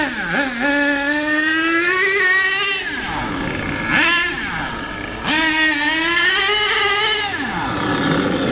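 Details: HPI K4.6 nitro engine in a Savage 21 monster truck after needle tuning: high-pitched revs up and down cleanly, picking up sharply and dropping back without bogging.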